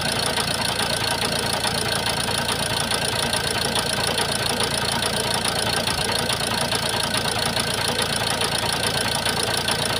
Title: ford focus disel 1.8tdci injector misfiring vibrating noise.